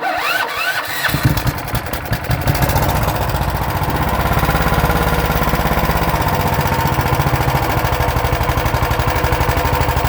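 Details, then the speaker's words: Auction Honda 15HP engine on choke, unmounted: rough catch then loud uneven chuffing with wandering beat, reluctant to take throttle; owner suspects stale fuel in the tank, carburetor improving. "it didn't want to take throttle it will take throttle I did it previously but um it's still I'm pretty sure it's that fuel that's in the tank"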